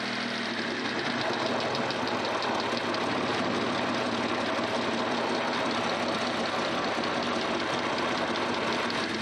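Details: Stealth / VR4 idling with fast light sewing-machine-like ticking over the engine; owner suspects lifter tick, not confirmed.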